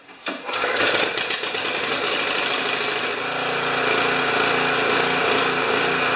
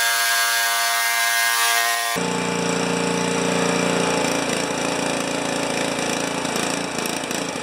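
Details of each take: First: Honda HS720 snow thrower engine after two carburetor cleanings, on-machine and ultrasonic, and main jet remounted: catches quickly and runs steady and even with only a slight surge, no backfire any more; likes to choke. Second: Honda HS720 snow thrower engine, fuel valve on, running out the last of the old gas: ragged, uneven note with irregular stumbles; rough running, and the drained fuel shows no water.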